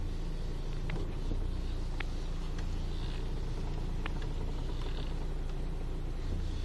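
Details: Audi A4 B5, engine idling while steering wheel is turned: occasional sharp clicks; steering noise, cause not pinned down.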